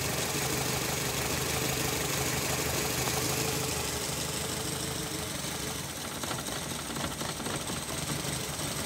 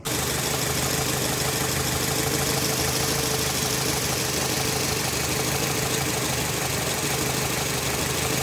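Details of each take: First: Nissan Latio (similar to Grand Livina) petrol engine with a rough, lumpy idle and stumbling beat from one cylinder misfiring; the engine mounting is also cracked. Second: Nissan Latio (Grand Livina engine) after repair of a misfiring engine by replacing the ignition coil: engine settles into a steady, even idle with no stumble or skipped beats; normal, stable idle.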